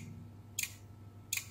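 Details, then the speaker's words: Beko WMB71033S front-load washing machine control board (MARC00421R), 230 V applied to the input socket: sharp relay clicks (tik tik) repeat about every 0.75 s over faint mains hum, no display; DC bus short traced to the ATmega64A processor. "giriş soketine 230 volt uygulandı tik tik röle sesi var ama ekran yok sadece bu"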